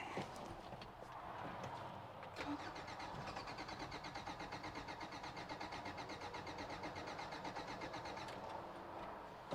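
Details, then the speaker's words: 1993 Toyota pickup with flap-style airflow meter that triggers the fuel pump: the starter churns steadily for several seconds with faint catches that never take. It is trying to fire, so spark is present. "okay interesting it's like trying to a little bit"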